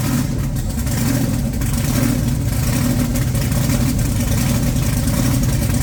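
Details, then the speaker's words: Supercharged big-block Chevy V8, reinstalled with the oil pump primed by drill and timing set correctly, briefly run without coolant: a loud, deep, even rumble that swells with light revs, with no knocks or misfires. "I primed the oil pump with a drill before I started it but it's running really good and I got the timing bang on"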